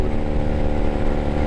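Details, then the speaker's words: 1997 Honda Rebel 250 riding uphill near max throttle with cut-down exhaust: very loud, raw low rumble with hard choppy bark; exhaust excessively loud. "I'm not saying that this bike is obnoxious with a exhaust cut but pretty darn ing that is so loud"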